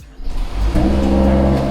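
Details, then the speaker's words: Cold start of a brand-new Mercedes-AMG GLE 53 with a single-turbo inline six. It cranks and catches within a fraction of a second, then settles into a steady, even, thin, raspy idle; normal cold start. "we'll give you guys a quick cold start of the 53 that has an inline six single turbo inline six"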